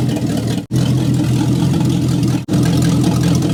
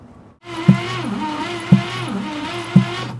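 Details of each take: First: 1962 Cadillac DeVille 390 cubic inch V8, first run after 30+ years parked, vacuum leak at throttle adapter plate plugged, idle raised, needs an exhaust: deep steady open rumble idle with no knocks or misses; normal idle. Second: 1962 Cadillac Sedan DeVille, 390 cubic inch V8, parked 30+ years, cranking during compression test: sharp knock about once a second over a slow starter whir; cause unknown.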